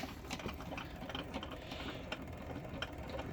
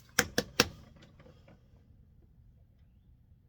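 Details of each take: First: I have a 1962 Sprunger Brothers wood lathe made in Topeka, Indiana, USA. And I think I have a shot bearing. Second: 1962 Sprunger Brothers wood lathe driven by a sewing machine motor, just after its headstock bearings (20 x 47 mm) and belt were replaced: switch clicks, then only a faint, even motor hum with no clicking or knocking; running quietly and healthy.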